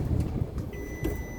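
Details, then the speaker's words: Bus just started: constant high-pitched beep over a low diesel rumble, the low air pressure warning, which stops once the compressor builds pressure. "Hear that beeping, that constant beep? Yeah. Just let me know I got low air. Oh, so it'll go. It'll build pressure and then go off."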